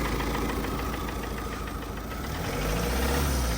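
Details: Tata 2.2 diesel, long parked and not starting, run on fed fuel at idle with a hard, regular knock about four times a second; scoring found in cylinder 4, knock sensor fault, piston replaced and injectors repaired.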